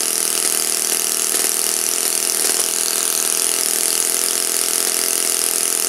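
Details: Saito FA-56 four-stroke glow engine, first run after teardown, cleaning and bearing replacement, 12x6 prop, OS F plug, Omega 5% fuel, tuning and static thrust run: high, steady full-throttle drone with even firing, no misses or surging; normal clean run.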